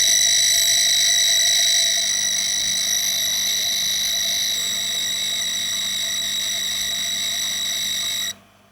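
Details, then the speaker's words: Sharp PC-1251 CE-125 tape deck loading after the repair, with everything working: a clean, steady high-pitched data warble with one pitch change near two seconds, then a clean stop, normal tape loading. "And um let's play out with the beautiful sound of a tape loading."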